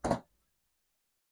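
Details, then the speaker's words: Car door latch after the hinges were adjusted to fix a door that had sagged and would not close evenly: two crisp separate clicks, with no scrape or rubbing, as the latch clip catches cleanly on both stages. "Ya, ini nggak ada yang natap ya. Dengerin. Nah, nggak ada yang natap, itu adalah letter apa itu? Pengancing clip ya."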